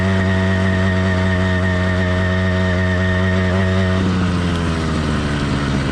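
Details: Cheap single-speed motorized bike kit two-stroke with single-circuit carburetor, cold and in its 2–10 minute warm-up phase: steady, rich burble with a slightly uneven, lumpy beat at constant speed. Four-stroking while warming up is normal and expected.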